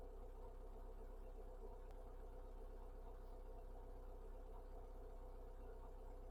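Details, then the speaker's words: TF after fitting a new O2 sensor and fuel filter (previously rough, hesitating, wouldn't tick over; head gasket failing with coolant loss and mayo on dipstick): low steady idle, even beat about four a second, no misfire; normal idle. "that sounds better it sounds good right going to have a look at the engine warning light"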